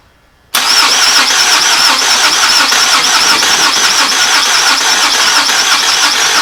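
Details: 2014 Toyota Camry SE bought at auction, new starter fitted, partly reassembled: strong even cranking about three beats a second for six seconds, never fires; cranks no start, owner suspects throttle body.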